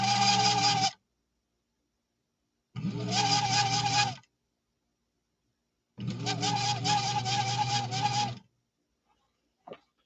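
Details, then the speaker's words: Newly unboxed sewing machine shipped from Oklahoma, run on its motor: three short runs of steady high-pitched scraping whine over motor hum; metal-on-metal rubbing from deferred maintenance, likely lack of oiling. "that is deferred maintenance screaming out saying help help help help help that's metal on metal and right now we're getting some bad rubbing"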